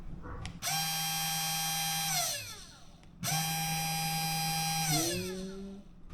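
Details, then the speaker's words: SainSmart Genmitsu 3018-PROVer V2 CNC router spindle motor running without load. Smooth, clean, very light whine that spins up, holds steady and winds down twice, no rattle or roughness. Normal spindle running. "Is this the spindle? Let's go ! It's a very light sound.It"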